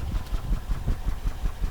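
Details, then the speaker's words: Honda Accord petrol engine idling with an uneven, lumpy beat from a misfire, still present after another garage's tune-up; likely ignition-related, with the computer probably shutting off that cylinder's injector. "certainly hear the misfire but i think that's because it's doing an injector shutdown"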